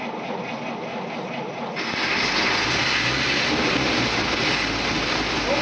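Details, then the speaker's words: 1952 Dodge M37 3/4-ton 4x4 Army truck running on gas for the first time in 50 years, after fuel shut-off valve install, started on full choke; catches about two seconds in, then runs steady and even, no misses or knocks. "yeah well anyway it does run yeah yeah yeah and it sounds fine sounds like all yeah everything's running good"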